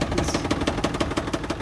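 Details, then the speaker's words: Ford Power Stroke diesel Super Duty truck with about 10,000 miles (year stated as both 2024 and 2020) at idle: sharp regular knocks about six per second, louder than normal injector clatter; engine knock, cause not known. "Yep. A 2020 Ford Super Duty truck with only 10,000 miles, and the engine sounds terrible."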